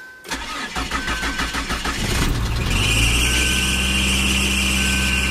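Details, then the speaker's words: 1991 Ford Probe GL, just bought used, driven 20 miles home: cranks about two seconds, catches, then a thin steady squeal over the idle; source unknown, engine otherwise runs fairly well. "Whatever that noise is, I'm going to have to look into that, but this car does run fairly good and got me home, which was about 20 miles yesterday."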